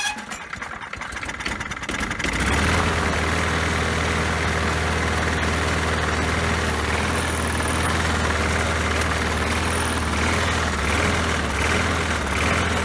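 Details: Poulan Pro mower that had been sitting, after refitting the missing throttle spring: fires after a couple of pulls and settles into a steady, even low thrum with no misses or hunting; running properly.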